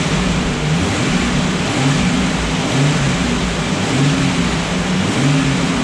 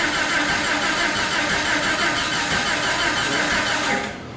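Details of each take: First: Restored Jurassic Jeep #73 engine on its first run after reassembly, distributor turned 180° to fix starting and stuck rpm gauge fixed; break-in run raising and lowering rpm for 20–30 minutes as heat comes up, note swells and falls smoothly, no knocks: normal. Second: Jeep (Jurassic Jeep #73) first start-up after body-frame reassembly: starter churns steadily about three turns a second for four seconds, never fires; distributor installed 180 degrees out, spark mistimed.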